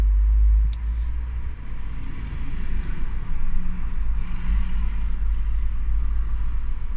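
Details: Renault Grand Scenic Mk3 1.6 dCi, restarting after half an hour of driving and 10 minutes standing: long steady cranking with no clean catch to idle; hard starting when warm.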